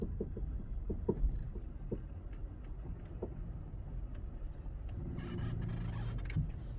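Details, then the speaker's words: VW Polo front suspension: short rubbery squeaks and creaks while turning right, felt slightly in the steering wheel, also heard in reverse; damaged control arm bushings, two replaced, and the noise was gone afterward. "В общем оказалось что это были повреждены саленблоки у кого будут подобные звуки рекомендую обратить внимание на замену Сален блоков"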